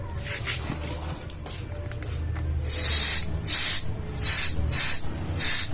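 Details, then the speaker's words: Honda Beat FI scooter with a new injector but still hesitating: outlet blocked by finger and compressed air applied, short hissing bursts escape from the regulator when it should hold sealed; fuel pressure regulator leaking. "dia ada angin dari bagian regulatornya berarti bisa dipastikan ini regulatornya rusak ya guys ya bermasalah"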